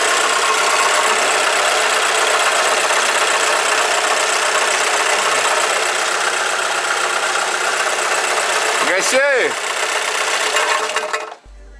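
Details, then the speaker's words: Alfa Romeo GT 2.0 JTS running, second start with cover removed: light, fairly even tapping rattle about four beats a second, seemingly from the front, something flapping; source not pinned down. "будто вот здесь что-то, как будто что-то ляпает, я не знаю."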